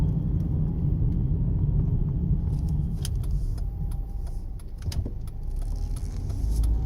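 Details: 2009 Jeep Compass 4x4 driving over light to medium bumps: hollow clunks and rattles heard from the front floor area over road rumble; front suspension otherwise fine, found to be worn sway bar links.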